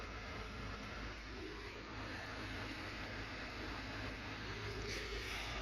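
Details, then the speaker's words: 2008-2013 Nissan Rogue heater blower motor, key on accessories, heat fully open, after owner complained of a monster sound. Smooth, steady air rush with no rattling, scraping or thumping; motor quiet, normal blower operation. "still hear your motor nice and quiet then fantastic you can keep it"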